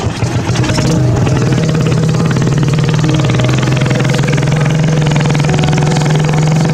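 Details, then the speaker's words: 1988 Yamaha YZ dirt bike fitted with a 200cc four-stroke engine swap, started up after a 7-day build to show it runs. The small single holds a steady, slightly rising buzz with no misfires or clatter: running normally. "Y'all can't see it too clear, but I just want to start it up, show you that it runs."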